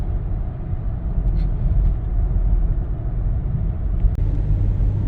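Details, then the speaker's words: 2015 Lincoln Navigator, 3.5L twin-turbo EcoBoost, 6R80 transmission, after adding Lubegard Instant Shudder Fixx: climbing a hill at about 40 mph under light throttle, steady road rumble with no pulsing or judder, so the usual torque converter shudder is gone. "yeah I normally f a shuffle there or shutter there and didn't"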